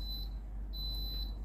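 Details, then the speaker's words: Philips GC6720 (GC67XX) steam iron emitting a high, steady electronic beep twice in a slow rhythm with the orange light flashing constantly: descaling reminder, iron needs scale cleaning. "ลูกค้าแจ้งนะครับผมอาการเสียนะครับผมไฟสีส้มกระพริบตลอดนะครับผมได้มีเสียงดังตลอดเวลานะครับผม"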